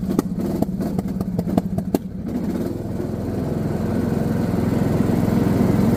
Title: B&S 19 HP JD D110 engine surge/misfires under load